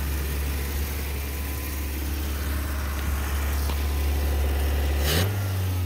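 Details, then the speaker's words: 1987 Toyota pickup, 22R engine, with distributor cap and rotor contacts thought to be bad: idle still unstable, low uneven wavering rumble with a brief surge near the end; owner thinks it may just need more of a tune-up, cause unconfirmed. "still having issues with the idol but thinking it might just need a more of a tune-up"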